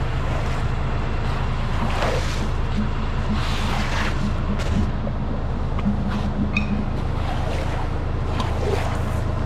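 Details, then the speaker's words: Commercial distribution center main cleanout hydro-jetted with 4000 psi out to 120 feet, clearing thick sand and silt: constant low jetter rumble with irregular gurgling and splashing bursts as the drain bubbles up and holds water. "You hear that thing bubbling though? Yeah. Crazy."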